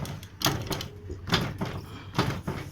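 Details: Honda Activa scooter front shock absorber: dull clunks in bursts roughly once a second as the front end is worked; play in worn link bushes knocking, fixed by changing the bushes.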